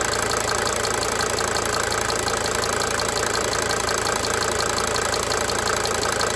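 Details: 1992 Mercedes-Benz 300D 2.5 turbo diesel idling for several minutes: light, fairly regular cyclic injector ticking, about three per second, fading in and out over the steady diesel idle.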